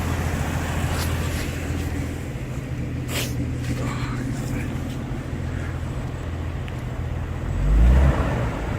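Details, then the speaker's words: 1982 Ford Granada after a carburetor rebuild; steady, even low idle hum with no knocks or misses, passing traffic outside; runs quietly and smoothly. "Got that awful smog bump. This thing is actually quiet."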